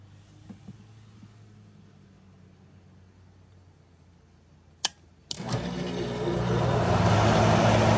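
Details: GE AHC12LYW1/ACH14AZW1 12,000 BTU window air conditioner after a DIY control-board bypass (it had shown the 88 code, beeped and shut off after five seconds): switch clicks, then fan air builds to an even, healthy run.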